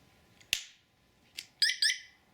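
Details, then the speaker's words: Qiewa Q-Power scooter, plugging in the rear battery to the controller: sharp snap and spark as the connector seats, then the alarm chirps twice about a quarter second apart; normal hookup. "It popped, sparked a little bit, alarm chirped twice."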